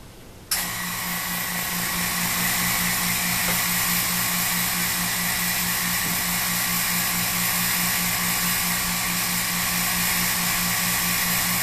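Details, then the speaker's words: Harbor Freight vacuum pump replacing a shop vac on a CNC router vacuum fixture: steady even hum with smooth airy hiss, no knocks; quieter than the shop vac and holds as well or better. "well this vacuum pump's going to be a lot quieter than the old shop vac and it seems like it holds just as good if not better"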